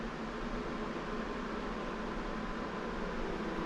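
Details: Titan RV roof skylight fan cooler, newly installed, remote set to max: even steady rush of air with faint constant hum, no ticking or wobble; fan runs smoothly at full speed.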